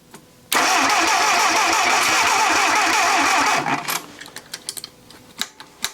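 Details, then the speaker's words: Junkyard Willys engine with a repaired head cranks steadily for about three seconds with only an odd weak pop and won't start; owner suspects ignition timing is way off, possibly flooded. "doing something all right so my guess is the timing is way off among other things"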